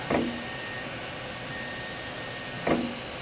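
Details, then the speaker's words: Solidoodle Workbench 3D printer printing the base: two sharp pops about two and a half seconds apart over steady motor hum as the Y axis skips steps; belts and top-bar set screws seem fine, X axis works, cause not found. "and you can hear the little slipping here the popping that's going on in there but i'm not seeing any slippage back there"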